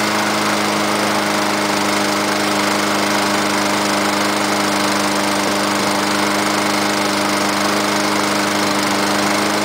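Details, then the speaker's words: 2006 MTD Gold mower with Honda GCV160 engine, cold start on choke at 15 °C: the engine catches and holds a steady, even drone with no misses or surging; healthy run. "no way I love Honda what a great motor"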